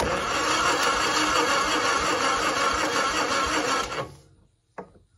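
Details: 1960 Onan industrial engine for a homemade Model T replica truck, unstarted for many years: air cleaner off and primed; cranks evenly about three turns a second, never fires; fuel reaching line, power to coil then checked, plug found dry.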